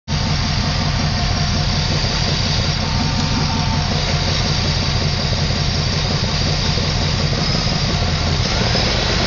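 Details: LT1 V8 at idle, sound from engine bay: fast irregular raspy puffing tick over rough idle, present since purchase; owner suspects exhaust leak, not confirmed. Ticking noise at idle.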